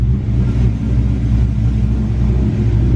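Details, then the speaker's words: SN95 Ford Mustang V8 converted to carburetor, idle mixture screws backed off half a turn; deep steady idle with slightly lumpy rumble, still rich but smoothing, target air-fuel about 14–14.5 at idle. "I backed it off a half a turn. As you can tell, it's still really rich at idle."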